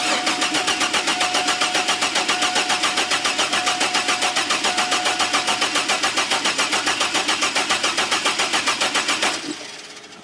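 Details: GM 4.3L Astro/Safari van, intermittent no-start, fuel pressure tested fine and spark seemingly present: nine seconds of steady cranking after gas squirted into the throttle body intake, engine never catches; crank, no start, cause unconfirmed.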